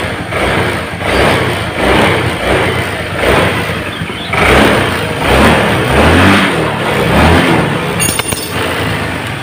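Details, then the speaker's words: Honda Vario Techno scooter vacuum carburettor refitted with the standard (uncut) vacuum spring after a torn diaphragm caused weak uphill pull; repeated throttle blips, revs rise and fall cleanly without lag, response matches throttle. "Jadi antara putaran grab gas dengan suara daripada suara motor atau akselerasi motor itu akan terasa sesuai."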